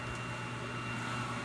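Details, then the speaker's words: 37-inch wide belt sander with an 18 HP, 230 V 50 A three-phase drive, run on a Phoenix 40 HP PC40PLV phase converter: an even, steady electrical hum with no surging or knocking; normal running. "but once it turns on it's pretty much pretty smooth after that"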